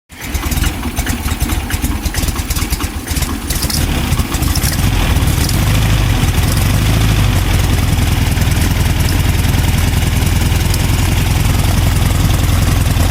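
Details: VW 2010cc engine after its knocking sound was fixed catches and settles into a smooth, even idle with a steady low hum and no knocking.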